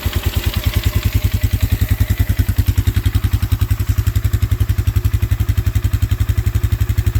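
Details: 2004 Polaris Sportsman 400 on a cold start, running rough: a single-cylinder idle thump of about 220 pulses a minute with a loose metallic rattle on each beat. Owner suspects water entered the carb after pressure washing.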